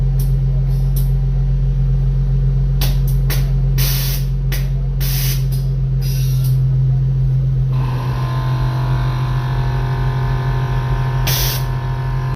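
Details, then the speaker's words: Air Lift Performance air suspension after warranty replacement of faulty manifold (old one unresponsive, wouldn't air up rear passenger bag, no leaks): steady low compressor drone, short hissing valve bursts early, then smooth even run; manifold working normally. "Let's go ahead and turn it on. That way you guys can see that everything's working."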